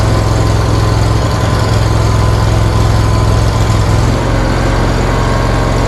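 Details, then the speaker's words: John Deere Z920M ZTrak mower right after 100-hour service with new oil and filters, fired right up; even steady idle, smooth low pulse about three firings a second, no misses or knocks, healthy. "all right so we got it started back up no major issues runs good fired right up as you can tell"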